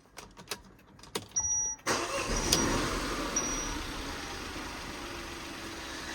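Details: 2017 Peugeot 2008 GT Line, Cat S, after reconnecting an unplugged wire: quick crank, then catches cleanly and settles into an even, steady idle with no stumble; normal start.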